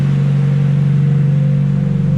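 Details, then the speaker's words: Nissan S15 engine warming up to idle after replacing a hydraulic lifter with lash damage: steady, even low drone with no ticking or knocking from the head. "i'm still going to let this thing warm up so i can hear it at idle"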